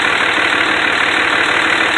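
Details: 2004 Dodge Ram 2500 5.9 L Cummins turbo diesel 4WD, recently oil-changed with new exhaust pipe: even, steady diesel clatter at idle with no misses or uneven knocks; healthy idle.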